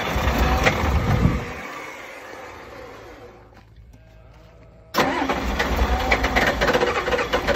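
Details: Super hard start with lots of cranking: starter grinds at a steady beat, stalls into near silence, then cranks again before the engine catches.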